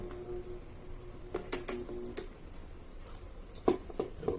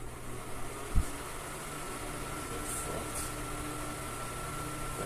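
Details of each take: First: Arno Turbo Silence Force 40cm fan motor, customer complains of loud noise; shaft tip has excessive end play, possibly the shaft or spacer washer; motor hum breaks into loose clunks and rattles as it tries to spin, louder at speed. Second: Arno Turbo Silence Force 40cm fan after repair of shaft end play and a screw set too deep that hit the blade; soft steady hum and airflow, no rubbing, ticking or rattle; runs quietly.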